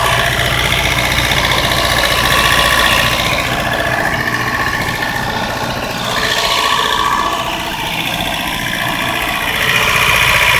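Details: 1992 Mazda 323 B6 engine, extremely hard to start; rough lumpy idle with uneven beat and wandering speed — horrible misfire at idle, cause unknown.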